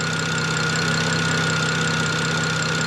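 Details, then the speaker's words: BMW E90 N54 with Vargas turbos, no-boost problem, loose leaking turbo V-band found: smooth even idle hum with steady whine, no knocks; vacuum just over -26 at idle; healthy idle. "say that's yeah that is fine yeah that's fine yeah it's about just over 26 at idle i'm happy with that"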